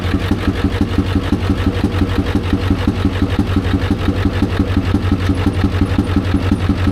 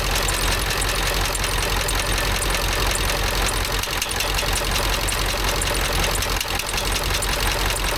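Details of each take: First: Ford F350 dually with the 7.3 Power Stroke diesel, smoke coming off the engine: a sharp, regular tick about three per second over a lumpy idle; valvetrain noise, owner suspects a dropped pushrod, later found to be a bent pushrod. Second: 7.3 Power Stroke diesel, Ford F350 dually, after replacing a bent pushrod: steady, even idle clatter with no odd knock standing out; valvetrain sounds healthy, normal idle.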